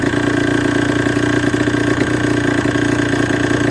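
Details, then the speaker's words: Suzuki RG125 two-stroke: a rough idle with a busy, uneven rattle from the bottom end; it runs flat at 5k rpm and sounds like it draws too much air, and worn crank bearings are feared. "Flat at 5k. It sounds like it's sucking in too much air. Bottom end is noisy."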